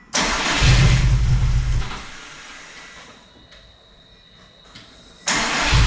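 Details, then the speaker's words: Subaru STI build after injector O-ring swap: two bursts of steady cranking, about three turns a second, never catches; cranks but won't start. "I did try to start it this afternoon just just in case just to see if it'll start but uh no go no dice"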